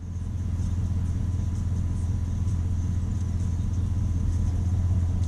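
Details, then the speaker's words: 2002 Chevy Silverado 1500 after fuel filter, plug and wire replacement tune-up, owner reports much better power: smooth even low rumble, steady firing beat, no misses, ticks or knocks; normal idle. "This thing running is good, man."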